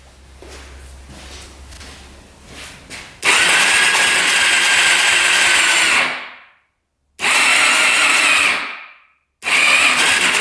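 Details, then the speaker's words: Suzuki LTZ400 quad sitting eight years untouched, first electric-start attempt; harsh, uneven whirring cranking, turns over hard, stopping and restarting; owner suspects a gone rod bearing or a tight ring. "Definitely sounds iffy. Almost sounds like a rod bearing is gone, but uh we're going to continue to lube this thing up. Could just be a tight ring in there."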